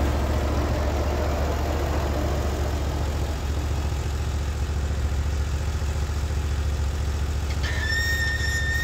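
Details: Norwood HD36v2 bandsaw mill evaluating new roller guides that replaced the ceramics, cutting black oak: a steady, low engine drone with an even, unlaboured saw hum and no squeal or bogging. The cut is clean and smooth; normal cutting under load.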